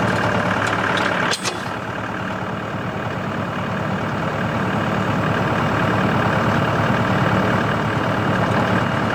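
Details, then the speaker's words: CountyLine PTO post hole digger on a tractor, 12-inch auger in very hard clay, run gently to protect the shear bolt. Steady engine note under load with an even driveline hum, no knocks or grinding. Worked flawlessly; normal operation. "alright guys this thing worked flawlessly it worked really nice"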